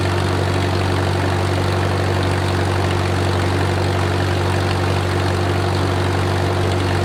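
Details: Wartime H tractor, last run around the 80s or 90s, at full operating temperature: a deep, even idle of about three beats a second over a steady low drone, no knocks or misses, great oil pressure; a normal idle.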